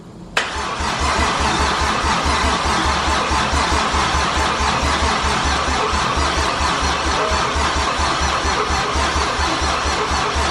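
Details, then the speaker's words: 1JZ engine swap, first start attempt after install with coil packs plugged in: the starter churns evenly at about two beats a second for ten seconds without firing; the battery is suspected weak and the starter had been sticking. "STP sounds like it's not turning over the battery's probably getting a little weak too"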